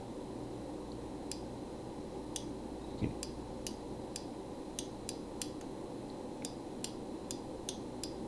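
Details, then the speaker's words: 1979 JLG 80F boom lift, PQ controller after replacing the microswitch (XCF3-S1Z1) for the hydraulic pump dump valve circuit: crisp light clicks each time the control lever moves, switch now actuating properly. "you can hear the clicking so kidding me"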